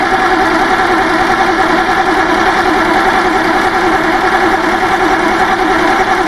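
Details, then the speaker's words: Bedford truck petrol engine after carburetor cleaning, on a makeshift electric fuel pump and tank, idling with a slightly uneven, wandering beat over a steady roar; erratic idle caused by a sticking carburetor needle and seat, freed by tapping. "what as you can see here we've got needle and seat sticking you just give it a tap"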